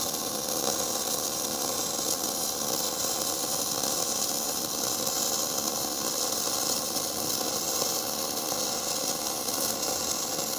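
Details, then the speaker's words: Gas-shielded flux-cored (FCAW-G) lap joint weld. A steady, even frying hiss with no pops or sputter throughout: a smooth, stable arc laying a good bead, with slag that peels off easily by itself. "Good. Nice and spicy. Man, I love how smooth that sounds."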